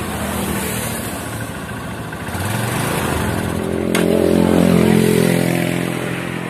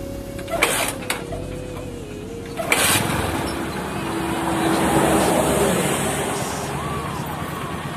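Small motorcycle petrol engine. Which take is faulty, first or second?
first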